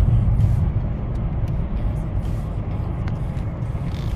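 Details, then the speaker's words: Skoda Yeti 2.0 TDI diesel, 2012, about 149,000-152,000 km, road test at about 70 km/h after wheel bearing and brake pad replacement: steady, even road rumble with no growl or hum rising with speed; wheel bearing now quiet and normal. "dźwięku nie ma już nic nie widuję Jadę sobie 70/70"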